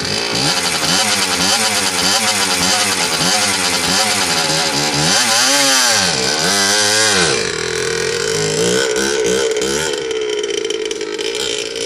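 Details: Suzuki RM60 two-stroke after carb cleaning, fresh gas/oil mix, and chain reinstalled and adjusted: crisp raspy buzz climbs and falls cleanly with each throttle blip, settles back smoothly; runs healthy.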